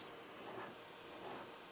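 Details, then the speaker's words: Flashforge Adventurer 5M Pro CoreXY 3D printer at maximum speed, 200–300 mm/s, all fans 100%, one meter away: about 48 dB, maybe up to about 53 dB on rapid moves; quiet steady fan hiss with swells, motherboard cooling fan noticeably loud; normal printing. "maybe leaping up to 53-ish decibels when it does one of those rapid moves I will say I'm a little bit disappointed in how loud that motherboard cooling fan is"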